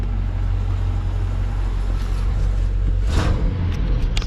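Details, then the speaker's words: LT1 V8 Chevrolet Caprice 9C1 at idle after new green radiator hoses, water pump and Optispark replacement, engine not yet hot: deep steady even rumble, no stumbling; the earlier hesitating and skipping misfire is gone, normal idle. "I mean that's running I don't think it's got any more misses to it it was like hesitating before like skipping around"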